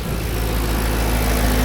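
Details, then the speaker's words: Audi A6 C5 4.2 V8 Quattro after replacing non-return (drain-back) valves and repairing the intake manifold: lifters clattered briefly at startup with no oil in the heads, then a deep, steady idle with no ticking or knocking; sounds healthy. "For sure we must the lifters uh was so present because there was absolutely no oil inside. But now it sounds pretty good."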